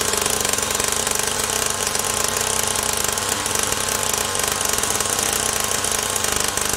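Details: SYX Moto Holeshot 50cc two-stroke after new carburetor, ignition coil, pull start and idle screw adjustment: high buzzy drone holding steady with fast even crackle and no dropouts, running cleanly.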